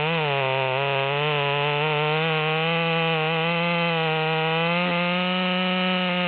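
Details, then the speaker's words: Modified ("Psy-Ko-ized") Stihl MS200T with 25-inch bar, test cut after needle tuning at upper rpm limit: strong, steady high-revving snarl holding pitch through the cut, slight rise near the end; normal cutting under load, no bogging. "and so we're running a little bit better in the wood even though I didn't cut over the top"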